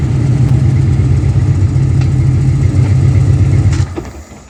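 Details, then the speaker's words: Ford Mustang Fox body V8 project car, running in neutral after fitting a new Motorcraft starter solenoid and a trickle-charged battery: deep, steady low rumble with an even beat for nearly four seconds before winding down, a normal, healthy run. "That's what I call a freaking success right there."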